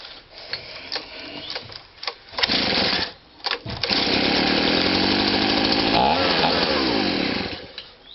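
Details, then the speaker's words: Abused Stihl SH/BG 85 two-stroke leaf blower that pumped petrol through the exhaust and wouldn't start or rev: revving makes the buzz sag and stumble as the loose linkage is sucked over onto the choke; push-on clip torn out, replacement back plate ordered. "So what happens is when you rev it up, it sucks it in like that."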